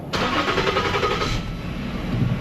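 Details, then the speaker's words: Lincoln MKZ after fuel injector work: brief crank, then catches and settles into a smooth steady idle with no misses once the fuel rail fills; running great. "now the rails full of fuel I can already tell it's running great"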